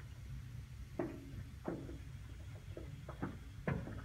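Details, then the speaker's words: 1997 tank water heater in a North Dallas house with very hard water: irregular dull knocks, about one a second, in a quiet room; sediment flaking off the tank sides and rolling around, needs servicing; water heater sediment knocking. "that Knockin sound you're hearing is sediment on the interior of the tank if you hear your water heater knock in like this you need to have it serviced our water's very hard and sediment tends to accumulate on the sides of these uh tanks and as they get older starts coming off and rolling around in your tank"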